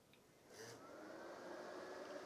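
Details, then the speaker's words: Nortel Enterprise Edge 1000 (BCM 1000-type, Intel Celeron, no hard drive) powering on: soft whir swells about a second then holds steady as the big rear fan comes up to speed after a delay; normal. "right, that sounds good. Big fan in the back, took a while to kick on."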